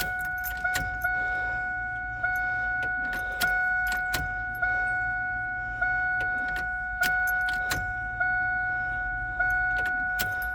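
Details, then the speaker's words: Drag car with Alloyworks surge tank after replacing a failed fuel pump: short electric buzz from the pump each time the key is cycled, about once per second, to fill the surge tank; normal priming. "now we should be able to hear the pump cycle yep"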